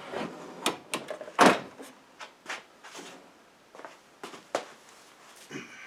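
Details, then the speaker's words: Aztec electromechanical pinball after a fried coil from a stuck ball: scatter of crisp relay clunks and snaps as it resets, none sticking or buzzing; healthy start-up. "So that sounds good."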